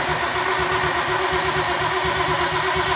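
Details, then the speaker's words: Nissan R32 Skyline cranking after sitting 4 years, previously lost spark: starter turns the engine with steady, evenly spaced compression beats and no light stroke; normal compression, no dead cylinder. "sounds like good compression not bad not bad at all cool that's cool that's good doesn't sound like it has a dead cylinder"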